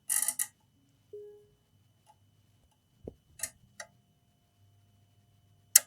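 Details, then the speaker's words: HP 15-eu0501sa laptop charging fault powered from a linear bench supply: sharp, irregular relay clicks as the load hits the 5 A current limit. "so actually you see here five amps no base is hitting five amps that's why it's clicking the relay is clicking is going into the limit"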